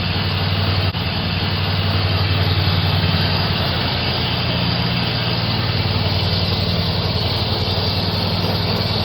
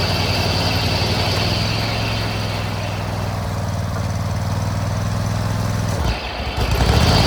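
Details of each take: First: Hustler Raptor zero-turn mower (2017, five seasons' use) running after jumping the solenoid to start it: steady, even engine at constant speed, no misses or knocks; running normally. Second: Hustler Raptor zero-turn mower after 5 seasons, started by jumping the solenoid (battery tested good); steady engine drone sags and dips as the deck is engaged, motor wants to shut down; owner plans a new solenoid first, cause unconfirmed.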